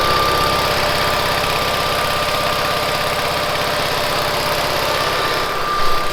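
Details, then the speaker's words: 1970s Bolens QT16 tractor, just revived after sitting: even engine idle with steady faint whine from the hydrostatic drive on top, no knocks or grinding; normal distinctive hydro sound. "the hydro on these has a distinct sound i like listening to it"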